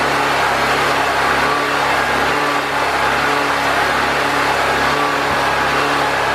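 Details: Predator 4000 generator after fuel and carburetor troubleshooting, with air box and air filter reinstalled and still on old oil: a constant, even drone with no surging, hunting or stumbling. It runs consistently.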